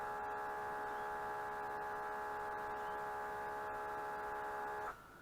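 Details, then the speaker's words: Mitsubishi MS-11V VCR after long storage and replaced perished rubber belts; on play the head drum whirs steadily but no reel or tape-pull sound, nothing turns, won't play, fast forward or rewind; head drum spins but tape transport dead. "but nothing happens so if I hit play just the head spins but you'll see you got to deeper dive into the internals there nothing turns"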